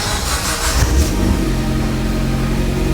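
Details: Mitsubishi Evo X engine unstarted for over 10 years, first start: catches quickly on the first crank, short rev, then an even steady idle with no knocks or misses; sounds healthy.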